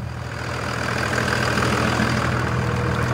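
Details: 2001 Dodge 2500 Cummins with VP44 injection pump, running after a failing lift pump was fixed: even diesel clatter at idle, about four beats per second, with a steady pulse and level; it runs clean.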